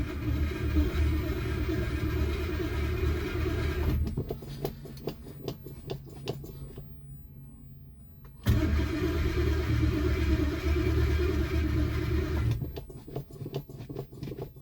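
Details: Mercury Monarch petrol engine, carburetor thought to need a rebuild: long bursts of steady cranking with pauses and the engine reluctant to catch; hard start, cause suspected, not confirmed.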